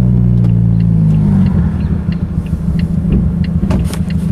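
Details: Mazda 3 after its engine blew on a clutch dump: a deep, uneven burbling rumble with a lumpy, off-beat pulse, sounding Subaru-like. The engine is running rough after internal failure.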